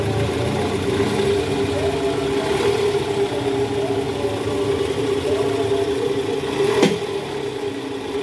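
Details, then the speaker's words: 2009 Toyota Vellfire 2.4L 2AZ after the worn, loose balancer shaft was replaced. It previously made a rough "krrr" from the oil pan area on cold mornings in D/R with A/C on. Now a smooth, even idle checked in reverse; normal idle. "Oke suara mesinnya ini jauh lebih halus dibanding awal"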